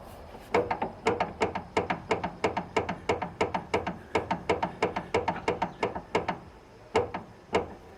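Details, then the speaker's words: Front suspension with wheel hanging fully drooped, wheel end rocked by hand: sharp hollow clunks in quick bursts from visible play in a worn, loose outer tie rod end (steering rod terminal), source of front-end noise. "E mesmo assim vocês vão ouvir e ver a folga que tem aqui ó e a bateção tá ó vamos"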